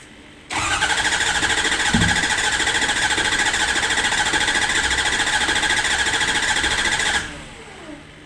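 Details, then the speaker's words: Ford 6.0 Powerstroke diesel right after new injector install, intake not yet fitted, first start: catches at once, runs evenly about seven seconds with oil pressure, then shuts off; clean, healthy start. "so what's that like um i'm so [ __ ] happy i must have did something right we have oil pressure"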